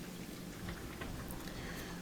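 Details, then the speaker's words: Bosch dishwasher after a new fill valve was fitted to fix a low fill level: steady splashing and dripping inside the tub over a low pump hum; it fills and sprays normally. "so we can hear the water sloshing around a lot better now and we can see that water is dripping from everywhere that's good"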